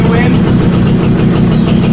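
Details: Small two-stroke Suzuki after carburetor cleaning fixed a blocked choke circuit causing hard starting; starts on one kick, then idles loud and steady with rapid even popping and no stumbling; engine running properly now.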